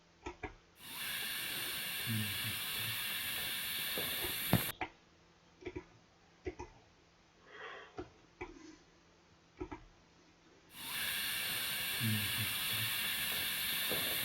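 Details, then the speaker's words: Water pipe leak under cover heard through a listening device after gas injection, not audible to the bare ear: a steady, even high-pitched hiss that cuts in and out with pickup placement. "이 휘 올라오는 소리가 누수음이에요. 누수음."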